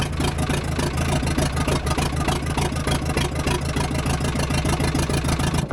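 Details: Telehandler started right up after its stacked, sparking battery terminal connectors were replaced and the battery was charged; even diesel clatter at idle, about three beats a second, running steadily without stumbling; normal idle.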